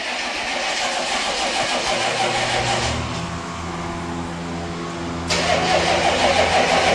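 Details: 1995 Chevy 3500 one-ton dump truck, 6.5L diesel, 86,000 miles, cold start after sitting all winter: slow, labored cranking, then it catches and runs rough, smoky and shaking; it needs throttle feathering. Known hard starter.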